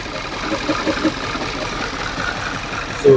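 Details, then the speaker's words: 2011 Audi Q5, CDNC engine, towed in, stalling and misfiring (P0301, P0302) with broken ignition coil harness connectors; mic close, it idles horribly rough with irregular stumbles and thumps, and misfire counters are rising. "Okay, it started up, but it definitely is sounding horrible."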